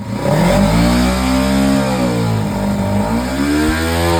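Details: Kawasaki Ninja 300 after throttle body cleaning, which fixed a cold-start problem: revs up and settles back smoothly, clean rising and falling note without stumbling or hesitation. Normal revving.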